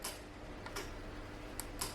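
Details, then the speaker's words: Mercedes crank-no-start for a year: with ground supplied to the relay, a few sharp faint clicks as it pulls in; relay switching normally, wiring good, car then starts. "I don't know if you guys are picking this up now this basically means that our wiring is good"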